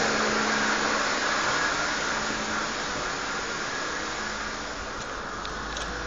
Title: vacuum leak?